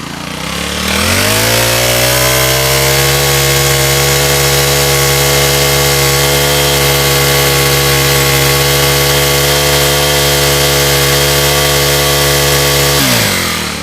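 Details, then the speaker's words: Second-hand brush-cutter engine after repair for no power and bogging/dying on acceleration, with cylinder re-sleeved, new piston, rings, fuel lines and clutch. Throttle held open, it snaps to a steady high howl without surging; normal full-throttle running. Looseness was said to come from dried-out oil. "สตาร์ทติดง่ายนะครับลองกดคันเร่งค้างไว้นะ"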